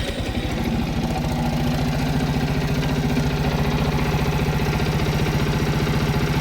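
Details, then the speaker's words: Viper Active moped after fixing engine knock caused by crumbled dampers at about 22,000 km, running without muffler: steady idle with open, raspy exhaust beat, no knocking. Normal idle, almost like new. "Теперь без глушителя. Почти как новый."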